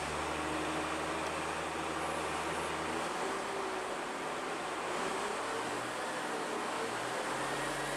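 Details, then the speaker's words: Bus diesel after repairs, warmed a couple of minutes, throttle put down: picks up cleanly with steady drone, no stumble, bogging or choking, little exhaust smoke; healthy normal revving. "It's amazement to go from what we were to the fact it now runs when we want it to run, and we can wait a few minutes, put the foot down, it doesn't choke, it doesn't do anything like that."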